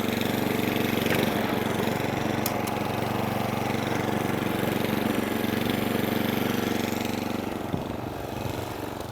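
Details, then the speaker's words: Atco Balmoral 20S cylinder mower that keeps cutting out, old fuel, on half choke: holds a steady idle, then surges and fades as it dies; owner believes fuel starvation, plans carburettor clean. "Starting to muck about now. And there it goes. So yeah, I believe it to be a fuel starvation issue."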